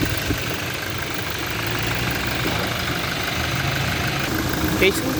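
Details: Toyota Innova under mechanical engine diagnosis: steady idle with a loose uneven knock about twice per second under the clatter; internal engine knocking, cause not yet found.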